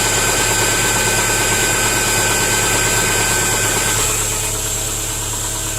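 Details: 2010 Subaru Impreza 2.5 non-turbo, 113,000 miles: original engine run without oil, over 4 qts needed to reach dipstick, glittery oil; at idle a hard, even knock about three per second, crank looks wobbly. Bottom-end knock from oil starvation.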